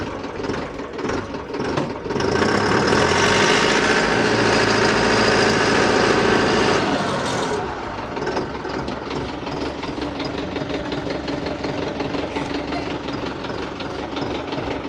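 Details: Tractor diesel started after the tractor rolled over, being checked before driving back: revs up briefly then settles to a steady, even idle with a regular beat, no knocking or misfire; engine oil light off; normal running.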